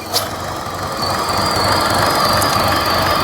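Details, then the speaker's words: 2014 Buick Encore 1.4L turbo running rough with a lean fuel trim code; steady high-pitched squeal over the idle from excess crankcase vacuum in a faulty crankcase ventilation system sucking air past a crankshaft seal. "it's not squealing anymore but it was squealing so it's got a problem with this crank case ventilation system you see how much vacuum it's building in the crank case"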